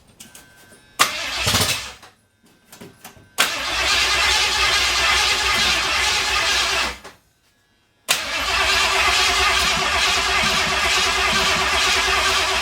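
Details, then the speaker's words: 1982 Ford F-350 with 302 engine, carbureted, battery just reconnected: it catches, stumbles and dies, then restarts to a ragged idle; owner thinks it wanted more fuel. "I had a little fire let's try that direction that's spring gas just wanted more fuel"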